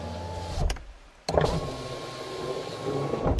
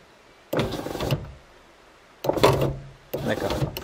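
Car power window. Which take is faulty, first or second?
second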